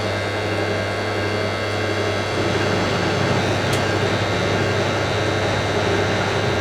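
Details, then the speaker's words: Hotpoint 9530 Electronic 1000 Plus washer, twin bedding load, after repair of burnt mains-lead neutral wire, final spin: steady even roar at high speed with low hum, no thumping or banging; well balanced. "That is probably the smoothest spin this machine's ever done on YouTube. I like that."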